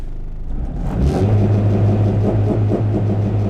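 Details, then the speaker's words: Honda Integra DC5R on a very cold winter day (about 26°F), engine not fully warm and no idle air control valve; launch control on part throttle holds a steady low burbling pulse at the limiter without stutter, the normal sound, unlike full throttle. "if I give it part throttle like"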